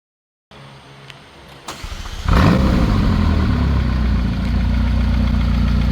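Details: McLaren 570S engine cranks, fires and settles to idle with a light, regular ticking over it, caused by a failed rocker arm; costly repair with very expensive parts.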